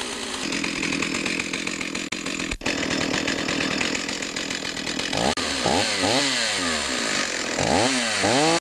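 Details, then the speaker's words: Stihl 028 AV Wood Boss chainsaw after a carburetor rebuild: the two-stroke starts, holds a steady crisp idle, then revs cleanly up and down with no bogging. Normal running. "Now that you've got the carburetor installed, you want to take your saw outside, start it up, and see if it runs good. I already had this saw started, so it should go first pull."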